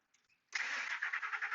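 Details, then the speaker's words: 2003 Ford F150 Harley-Davidson 5.4, intermittent long-crank case; PCM heated with heat gun, around 120 degrees: brief crank, engine catches within about half a second and settles to a steady even run, a normal quick start. "But look, it's starting very normal."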